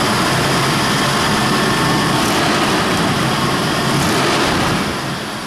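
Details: 1999-04 Nissan Xterra 3.3L V6 first start after timing belt and water pump replacement, cooling system not yet bled: catches and settles into a steady, even run with loud fan-like whoosh, no knocks or squeals; normal idle.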